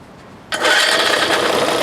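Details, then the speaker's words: 1970 4 hp Johnson two-stroke outboard, first start after carb work with the choke on, briefly run without a full tank. After a short silence it catches and runs with a steady, even, high buzz; sounds healthy, everything works. "I needed a victory, and there it is. Sounds good. Everything works."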